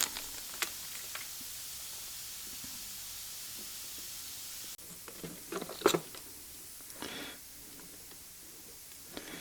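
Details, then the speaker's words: Workshop compressed-air hose while jetting a Maico 660 dirtbike intake; constant faint high hiss under quiet bench clatter as air escapes from the hose. Air hose leak. "As you can hear, my hose has a huge leak in it, fortunately."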